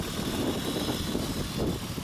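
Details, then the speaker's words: 2003 Honda Odyssey 3.5L after fixing a non-firing ignition coil (code P0305, cylinder 5 misfire): steady even idle hum, no stumble or shake. Normal idle after repair, check engine light off. "the engine is running as you can hear I hope the camera is picking that up it's not shaking anymore okay so that's good"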